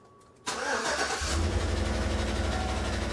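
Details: Chevrolet V8 with AFM/DOD (Tahoe/Silverado) just after startup: fast, sharp ticking over a rough idle; collapsed lifter suspected; no misfire codes, but a bank 2 fuel trim cylinder balance code and a MAP sensor code are set; sounds like a light misfire.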